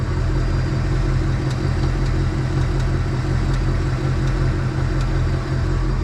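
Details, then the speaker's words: 2020 Ford Mustang GT 5.0 V8 idling with deep rumble and faint ticks about once a second, the 5.0 engine tick that appeared after its first oil change; ticking gets louder with slight revs. "yeah it definitely has the engine tick i'm gonna put the camera on the ground and do a few revs because when you rev it like a little bit it does the tick like louder"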